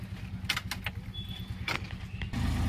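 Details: Maruti Suzuki Omni van with a hot no-start complaint and down battery, jump-started: small petrol engine settles into a steady, even low putter at idle with a few key clinks; running normally, charging still to be checked.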